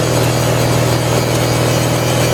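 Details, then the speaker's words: 1978 Lincoln Lincwelder 225 welder-generator, cold start after a governor adjustment, carburetor still not fully adjusted: constant drone with faint unevenness; runs slightly lumpy while cold. "so as you can see I know it's going to focus but does a pretty good job it's running a little bit cold it's a little bit lumpy"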